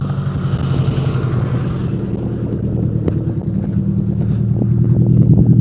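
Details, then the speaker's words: Proton Saga Iswara 1.5, about 151,000 miles, barn find needing a service, started with no exhaust fitted: loud raw agricultural chuffing tick-over that idles evenly without surging or misfiring; noise due to missing exhaust system. "oh there's no exhaust on it but it starts but it sounds very agricultural that engine is ticking over nicely and there's no surging"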